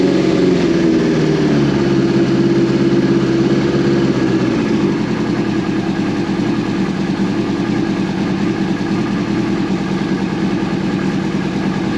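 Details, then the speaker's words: 2002 Yamaha FZ1 1000cc, first start in 8 years after gas tank cleaned and new petcock fitted: small early dip in revs, then a steady, even four-cylinder idle with no stumbling, running on its own. Normal idle. "That's idling on it. Look at that. It's running on the road."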